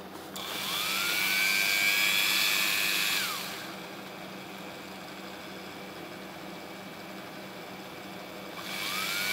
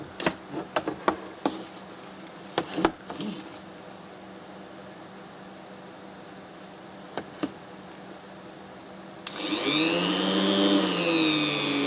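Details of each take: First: A comparison engraver of unknown make, not the RYOBI, at maximum speed: high whine spins up with a buzzy rattling edge, winds down, then restarts. One part of the body vibrates terribly; the owner thinks this may be considered acceptable at such speed. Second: Ryobi rotary engraver spinning up to a smooth, high, even whine that shifts pitch with speed, no rattle; vibration fine, only one housing part vibrates against another at maximum speed; normal running.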